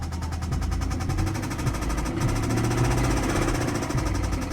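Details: BMW E60 bought at auction, no check-engine light: at idle a rapid, uneven knocking rides over the engine rumble, pacing the idle; cause not pinned down by ear; engine knocking.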